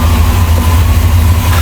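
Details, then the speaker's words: 1963 Chrysler Newport, storage time unknown, very first fire-up: deep, even V8 rumble with a steady beat, no misses, hesitation or stalling, a smooth, clean normal idle. "Very first fire up. It's not even hesitating. It's not even stalling."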